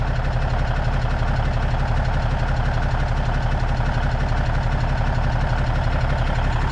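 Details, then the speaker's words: Old Cummins diesel truck idling at first start after sitting a long time, smoky: steady idle with a light, regular tick about 87 a minute, taken as rockers/valve lash needing to be set. "got to get those um those uh rockers set though"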